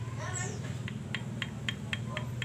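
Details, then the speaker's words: Viar three-wheeler motorcycle engine with vibration, rough sound and lost power: connecting rod tapped by hand gives sharp light "tek tek" clicks about four per second, showing play from a small-end bushing worn by long use; needs replacing. "ada suaranya, tek tek tek tek tek tek. Ini kan ada bearing bambu di sini. Kurang lebihnya karena pemakaian yang panjang, jangka waktu panjang, ini spare part yang bisa aus,"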